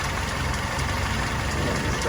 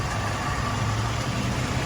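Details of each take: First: Willys CJ2A engine running at idle after restoration, smoking less than before: an even idle with a faint quick light tap over the exhaust beat. The cause of the tap is not yet identified. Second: Willys CJ2A flathead after restoration, initial break-in, good oil pressure, tappets newly set, idle mixture two turns out: low even idle with steady beat, only faint tappet tapping; idles nice and smooth.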